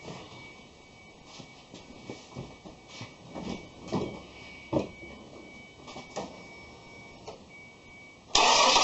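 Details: 2001 Ford Escape on its first start after a starter replacement for a no-start: brief cranking after a quiet stretch, then a clean catch with no grinding or whirring from the starter; a normal engine start.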